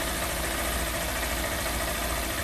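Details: Honda CG160 Cargo single after repair of its "tec tec" top-end ticking noise: smooth, even idle with no tapping or ticking, sounds settled; normal idle.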